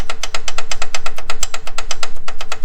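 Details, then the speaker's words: 1989 Honda Prelude 3rd gen engine apart: one connecting rod rocked by hand gives sharp metallic clacks, about eight a second, from excess play while the others have zero play. Rod knock; bearing likely spun, to be replaced. "look at this one so much play in this one this one zero play zero and everyone else zero play so this is the only one that has and this is your rod knock"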